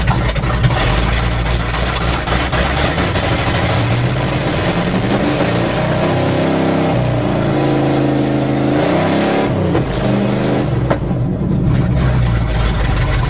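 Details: 1977 GMC truck with a 400 V8, carbureted, cold start in cold weather after choke pull-off rod adjustment and filling the float bowls: deep, steady rumble with smooth rises and falls in revs, no stumbling or misses; normal cold-start idle.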